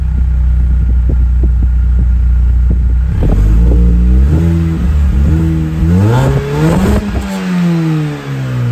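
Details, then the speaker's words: Mini with engine finally fully warm, heard from rear; steady idle then clean blips rising and falling smoothly, no puffing, popping or ticking; exhaust sealed, normal exhaust note. "bon vous avez vu j'ai fait un petit peu plus ronfler parce que là elle est enfin chaude enfin enfin chaude elle était petit à petit de plus en plus chaude c'est pour ça qu'au début j'ai pas trop accéléré et là ben ça fait vraiment un joli bruit"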